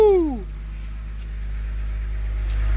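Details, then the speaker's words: BMW 328i E90 idling steady right after installing a three-stage intake and new engine cover; the owner believes the earlier rough idle came from the cover's bad CCV valve. Low, even hum with no stumble or surge, no check engine light; normal idle. "huh no check engine light the idly steady so I think we fixed everything and we have the three-stage intake whoo"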